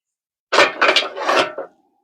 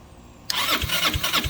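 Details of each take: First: 2006 Zhejiang Kandi 250cc kart, picked up with the intake elbow off and the carburetor slide nearly rusted: a quiet pause, then even cranking with regular compression pulses about four per second; spins freely with fair compression. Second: 2006 Zhejiang Kangdi 250cc kart, cranking on battery after oil added to cylinder: starter whirs with soft even thumps about three a second, no firing; weak compression on wet test, worn piston rings.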